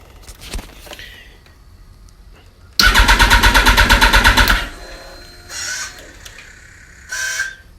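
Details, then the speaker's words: 2005/2006 Yamaha R1 cranks quickly and evenly for nearly two seconds but never fires; fuses and relays checked and battery recharged full; crank no start, cause unknown. "Yeah, all I do it's cranking, but it's not starting."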